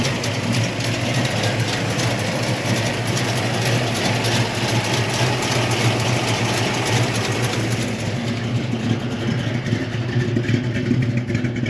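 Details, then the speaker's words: 1972 Chevy Malibu Chevelle SS tribute, 350 V8 with mild cam, new Holley carburetor replacing an oversized one, fresh tune-up, electric choke, odometer 22,781 (probably not actual): deep, steady, lopey burble; smooth, consistent, healthy idle, improved over before. "it runs real good now it ran well before but the idle was off a little bit now it's idling really good"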